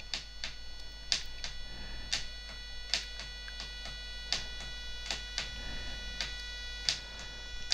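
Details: Cheap RC truck (MX1608RX/TX chipset) DC motor at low PWM drive (around 2 of 255) with little current: steady high singing tone, irregular ticks, no spin-up; PWM whine from stalled DC motor.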